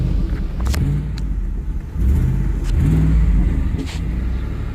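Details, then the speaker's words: 2010 Ford F-150 4.6 V8 with multiple VVT/cam phaser codes, revved after a motor flush: clean, quick rises in engine note on each throttle blip, settling smoothly with no ticks or knocks; throttle very responsive and it sounds good. "you hit that gas pedal on this thing it's very responsive"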